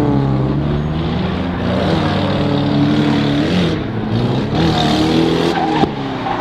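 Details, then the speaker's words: Nissan 240SX at a drift day, hard-revving at speed with sharp pops and crackles on lift-off and flames from the exhaust; first called a misfire, later suspected a blown exhaust gasket. "Yeah, it's definitely misfiring. It's misfiring. It's misfiring for sure. It's shooting fat flames out the back. You can hear it every time."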